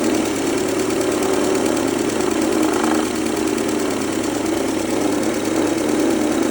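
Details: 2003 Mercedes-Benz A140 (W168), 196,000 km, sudden engine noise: steady idle with dense, fast metallic clatter over the engine hum at the front; owner suspects timing chain or chain tensioner, unconfirmed.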